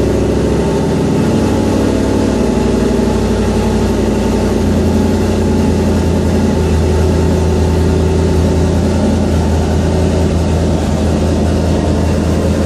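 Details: Ford Fairmont V8 with MS3 Gold Box EFI, cold start at about 61°F with closed-loop idle control: steady, even low idle with no hunting, stumbling or misses; idle air control working well.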